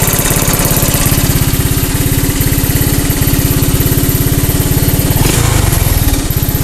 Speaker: Oh, it runs. Part's fixed.